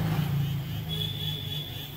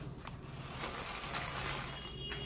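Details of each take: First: Mini remote control toy car: small motor whirs steadily with faint high whine and no load; motor runs but its gear fails to drive the wheels. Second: Mini remote-control car (two batteries) after repair, reassembled and driven on the floor by remote; before repair it ran on its own without the remote. Low, steady motor hum with light scraping. Runs evenly, normal operation.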